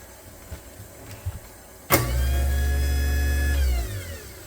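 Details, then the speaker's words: Newly installed replacement garbage disposal, after fixing a drain leak, run under the sink: quiet motor spins up to a smooth steady hum for about two seconds, then winds down cleanly with no grinding or rattle; super quiet, normal running. "I did bump test this already, and it seems to be running, and it's super quiet."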